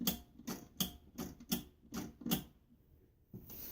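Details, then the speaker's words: Vanguard engine propane fuel system, bench wiring: power switched on, seven sharp clicks in a quick uneven burst, then quiet as the valve stays open; the propane solenoid valve and relay operate normally. "So I'm going to turn this on and you'll hear the relay, or the valve open and"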